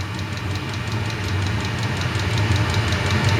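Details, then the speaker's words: eBay 8 kW Chinese diesel heater spinning up after ignition, fan speeding and fuel pump going faster, heat kicking up, around 21 °C. Steady low roar with soft regular pulse about four per second, building. Normal high-output running. "this starting to really spin up now here and the pump's going faster"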